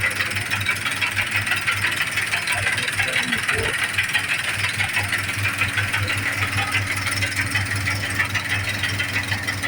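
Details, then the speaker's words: John Deere 5078 tractor diesel at idle after injection pump head broke and pump was rebuilt and refitted elsewhere: harsh rattly clatter pulsing about three times a second, caused by incorrect injection pump timing. "Aí quando foi colocado no lugar, colocaram no lugar que não foi a a nossa equipe que colocou e apresentou um barulho do motor estranho."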